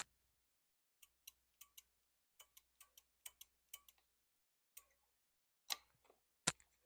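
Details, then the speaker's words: Royal Enfield 650 after fitting CNC levers, with the microphone close to the lever: faint clicks as the lever is worked slowly are the brake light switch tripping normally after free play, before the piston bottoms. "that clicking noise that you just heard uh that's the brake sensor which actually activates it and once that is clicked it the Piston is at where it bottoms out and then it pushes the fluid uh through the cable"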